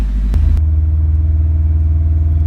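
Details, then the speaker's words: 2011 Subaru WRX started after spark plug work to fix a cylinder 1 misfire, no codes, warming up: a steady, even low rumble with a smooth, consistent beat. Normal running. "the car started up just fine no codes right now we're gonna let it warm up and take it for a lap around the block and see what happens"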